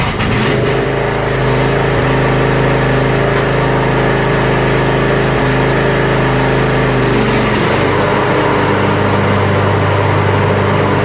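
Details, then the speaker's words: Yard Machines (MTD) 42-inch riding mower with new starter and safety shut-offs reconnected, tested with transmission and deck running: even, steady drone holding one note, settling lower as load shifts; everything functioning properly. "so well it looks like everything is functioning properly"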